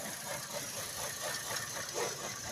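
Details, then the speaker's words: Chevy Cruze with check engine light and many codes (dual trim, MAP sensor) idles rough, uneven lumpy pulse under strong airy hiss; fix suggested is replacing the intake manifold with a kit. "man if you got a Chevy Cruze running like this check engine light on a whole bunch of codes dual trim map sensor whatnot"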